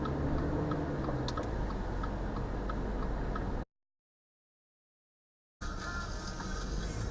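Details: 2019 Subaru Ascent while driving: a light, regular tock about four times a second over road noise, reported by some Ascent owners alongside a whirr; cause not yet identified.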